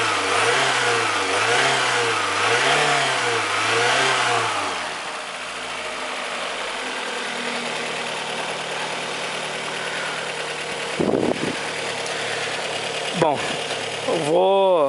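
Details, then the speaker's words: Fiat Brava engine after fine adjustment of the timing belt tensioner: several quick throttle blips rise and fall cleanly, then it settles to an even idle with no rattle or slap; the noise is resolved and revving is normal. "remontar tudo aqui de novo é pelo jeito e foi resolvido o problema"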